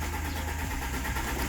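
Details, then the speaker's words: Alfa Romeo 147 1.6 Twin Spark that cuts out and won't start on petrol or LPG: even starter cranking that never fires, rev needle not moving; code P0336 confirms failed crankshaft (RPM) sensor. "you can see that our RPM cluster needle doesn't move at all, and that tells us that we might have a problem with the crankshaft sensor."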